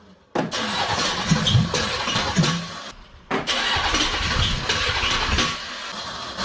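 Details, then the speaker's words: 1983 Oldsmobile 98 with a 350 diesel, fire-damaged, started with starting spray; cranks and stumbles, catching unevenly in rough bursts with gaps while the engine shakes violently; the starter also made an unusual noise. "That is jumping violently. Yeah, it goes through this a couple times."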